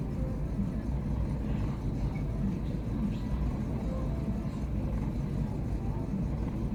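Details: Chevy Aveo small petrol engine idling rough: low rumble that wavers and stumbles instead of holding a steady beat; cause not stated.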